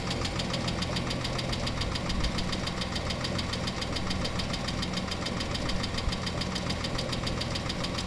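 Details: Chrysler 300M 3.5L V6 at idle: fast steady ticking knock at constant rate over smooth idle; knock from somewhere inside the engine, source unknown.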